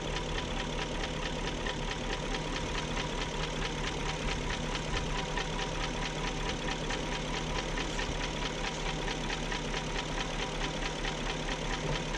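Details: 2001 BMW E38 740i at even idle after VANOS units rebuilt: fast, light, steady ticking; top-end tick persists, no codes, cause not yet found.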